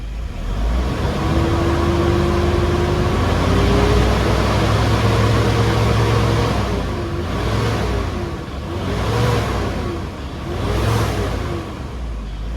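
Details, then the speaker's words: 2010 Toyota Innova 2KD diesel after the repair, DTCs cleared, coolant at 80–85°C, free-revved where it previously failed: picks up cleanly through repeated blips with no hesitation, and the check engine light stays off; normal free revving. "Ini sudah bisa digas dan lampu engine tidak aktif lagi. Jadi kondisinya tuh saat ini sudah normal."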